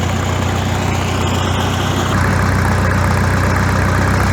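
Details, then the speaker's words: Farmall tractor idling after exhaust modification, gap welded: deep, even idle with steady low beat about four pulses a second, no misses; deep exhaust sound restored, healthy. "got the same the same cell as previously it's a nice deep sound and i think foreign it sounds much bigger"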